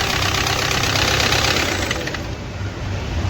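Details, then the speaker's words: Audi Q3 2.0 TDI diesel with crankshaft position fault P0016 and knocking: heavy uneven knocking about three times a second right after fire-up; camshaft plate has slipped out of position and broken, needs replacing. "Cam plate जो है ना ये young होता है य out हो जाता है इसम डेंजर फटका लगा है य टूट गया"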